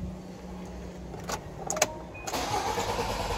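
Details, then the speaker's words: Fiat Doblo with a newly fitted alarm/GPS tracker, engine disabled remotely by SMS: the starter cranks with a steady churn but the engine never catches. The immobilizer cut is confirmed; crank no start. "Βλέπουμε δεν παίρνει μπρος και έχουμε λάβει και την επιβεβαίωση ότι είναι επιτυχής η διακοπή."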